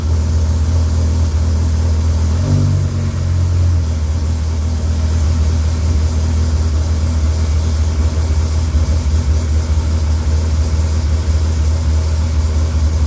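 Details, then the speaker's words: Freshly rebuilt Dodge Viper V10, first startup after oil priming: deep, even idle rumble with a brief blip, smooth steady beat, no knocks or ticks. About 60 psi oil pressure, no leaks, radiator warming; healthy. "it lit up like a like a kitty it's got about 60 lbs of oil pressure in there yep not bad everything sounds really good"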